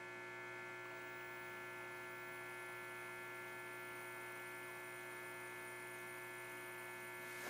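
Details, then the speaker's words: Admiral 17T1 tube TV at power-up on a fused outlet, 6Y6 audio output tube lighting: constant low fixed-pitch hum and crackle from the speaker, raster appearing; cause not found, possible arcing below. "Tubes are lighting up, especially that 6Y6 audio output tube. crackle from the speaker. Got some hum of the speaker and a bit of a raster coming in."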